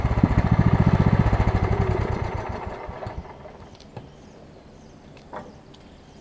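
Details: Over-20-year-old Craftsman riding mower with a Kohler Command engine, running after a wrongly fitted deck belt that had locked the engine was refitted correctly: brisk, even beat about four per second for three seconds, then fades; nothing bound up; normal running.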